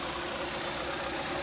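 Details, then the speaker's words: Freshly installed 1.6L Gamma engine in a 2012–2017 Kia Rio, first start-up: short, even idle with a smooth steady beat, no knocking or missing; let it idle without revving until the fan cycles twice. Normal idle. "What you want to do is let it idle. Don't rev it, let it idle until the fan comes on and off twice."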